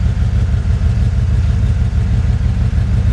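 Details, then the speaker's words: 1983 Jeep Wagoneer, twice-rebuilt engine with Edelbrock fuel injection, still cold and warming up: steady, even low rumble at 750 rpm, fuel pressure 42 psi, 14 volts, no knocks or misses; healthy cold idle. "All your data, everything is here to use to see if it's running correctly. The engine is actually kind of cold right now, still warming up."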